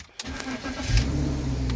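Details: BMW E53 X5 after replacing a fuel pump that intermittently failed to run, causing no-start or stalling: starter catch, engine fires and settles into a steady low idle; starts cleanly, fuel pressure now normal.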